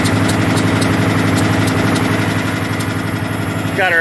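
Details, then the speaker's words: Cummins ISX diesel, warmed up, running on injector cleaner at fast idle near 1400 rpm: sharp, regular clacking knock over the rumble; owner believes it is an injector, cause unconfirmed. "let's see if you guys can hear that clacking noise first and i know it's the injector"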